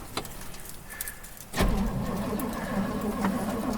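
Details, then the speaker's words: 1958 Edsel Ranger, long-stored since the 70s, cranked from the cab after revival work: starter churns the engine over roughly, it almost catches ("wanted to") but never fires; cranks but does not start. "turns over oh you hear that it wanted to"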